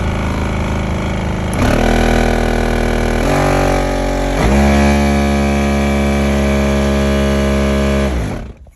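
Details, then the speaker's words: 2009 Smart Car, code P0410, no heat or A/C: loud droning hum with rough tonal buzz stepping up with each fan speed; failing blower motor, replaced. "all right so we have a smart car that is uh i believe is having a issue with the blower fan motor so take a listen on what happens when i turn it on"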